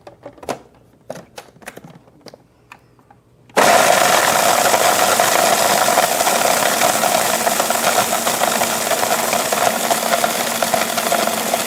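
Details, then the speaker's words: Emery Thompson CB-350 6-quart batch freezer making Payday ice cream: loud steady churning with rough uneven knock about three times a second as dasher works; normal, clunking disappears when done. "You can hear when it's done, you know, that clunking disappears."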